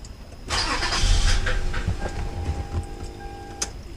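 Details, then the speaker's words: 2006 Toyota Camry 3.5 2GR-FE, cranks with spark and some fuel: starter whirs and the engine briefly tries, then fades without catching, possibly flooded; possibly a weak fuel pump not giving enough pressure to start. "so that means gas coming up how come it doesn't start so that's a good question right here okay and you can tell i flooded right here that could be possible that uh not strong enough to get a start okay so that's why it is not starting"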